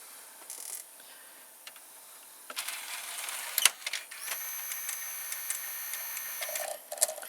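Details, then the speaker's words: Panasonic SA-HT820V VCR/5-disc DVD combo, hidden mechanism positioning to eject disc 2's drawer; a few light clicks then smooth high whirring of small gears for a couple of seconds; normal changer operation. "So it seems that there's a mechanism that you can hear it turning, and it places the drawer. It places the mechanism to the position of which drawer you want to eject."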